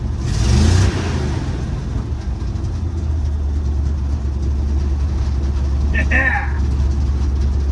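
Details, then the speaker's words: 1955 Chevy dump-bed truck, sat 23 years, small-block V8 (owner says old 350) with cherry bomb mufflers, driving: deep, even low rumble, no knocks or misses; normal running. "I love the sound of this thing with those cherry bombs."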